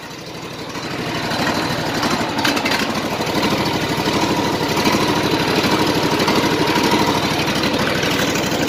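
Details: 2010 Exmark LZ60AS mower with electric choke and a replacement engine fitted last August: it fires straight up into a steady, even idle with no misses, knocks or rattles. Normal idle.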